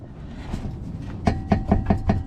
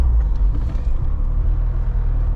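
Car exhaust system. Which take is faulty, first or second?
first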